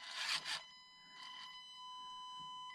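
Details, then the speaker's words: Stock brushed ESC in an older SCX24 micro crawler: steady high whine with clear tones between handling noise, the ESC's low drive frequency making the motor sing, with poor low-speed modulation. "And what was so cool at those times where nearly nobody had brushless, that's a stock SCX24 of that time. You hear the whining."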